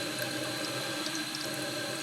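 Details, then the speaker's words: Toilet on well water, heavy scale in tank: thin steady hiss of water slowly trickling through the fill valve, no full refill surge; scaled fill valve causing slow fill, to be replaced. "yeah I don't know if you guys can hear it or not but I can certainly hear the water kind of slowly filling through the filler neck here"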